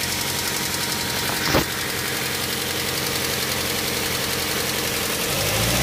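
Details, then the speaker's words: Daihatsu Xenia after an engine rebuild, warm idle: a steady, busy ticking that persists even when hot. Valve lifter (tappet) ticking, most likely caused by lifters refitted in the wrong bores. "Jadi , jika kondisi seperti itu terjadi setelah perbaikan mesin dan terdengar kasar, penyebab yang paling mungkin adalah pengangkat katup, atau tappet katup tidak dipasang kembali ke tempat asalnya."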